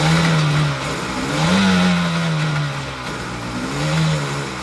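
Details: 2002 Sea-Doo Sportster LE boat, 951cc two-stroke, first start after a rebuild combining two boats: crisp buzz swelling and easing with each throttle blip, even and misfire-free between revs; normal healthy running.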